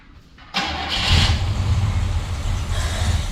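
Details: 1968 Chevrolet El Camino SS 396 big block, sitting about 10 years since 2011, with a new fuel pump, primed: long cranking, then it catches with a deep uneven rumble.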